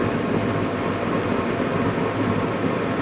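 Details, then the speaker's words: Gas furnace after a fix for shutdowns (earlier code: pressure switch open with inducer on): inducer on, hot surface igniter glowing, gas valve open, burners lit with a steady, even roar and no popping. "Yellow light's on, that means the gas valve turned on. You can hear the flame going, you can see the blue in there."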